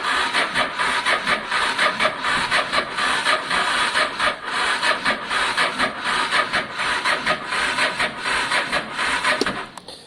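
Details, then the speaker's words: Honda Deauville 650 motorcycle after carb clean, choke on, no fuel pump priming heard: slow, laboured cranking at roughly eighty swishes a minute with no firing; turning over too slowly to start. "um it doesn't sound healthy at the moment actually it doesn't sound healthy at all"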